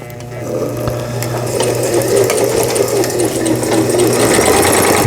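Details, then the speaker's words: Mid-1990s Brother Star 10 computerized sewing machine, nearly 30 years old, test-stitching after repair; quick even needle strokes about four per second with a smooth hum and no knocking or catching. It sews straight stitches properly. "값이 비싼 기기라서 그런지 박음질 잘 돼서 나오네요."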